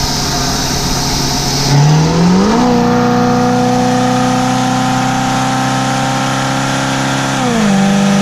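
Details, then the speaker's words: Chevy 454 V8 motorhome after replacing the corroded, rusty distributor (bad HEI module) that caused throttle-body backfire: revs climb smoothly and settle with no pop or bang through the intake; normal acceleration on the test drive. "This Time spoiler alert but it does not backfire through the intake"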